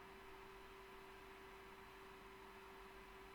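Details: Test PC with overclocked i7-6700K and GTX 1070, under stress load: steady rushing airflow with a constant mid-pitched hum, no rattle or ticking; CPU cooler fan spinning hard but healthy.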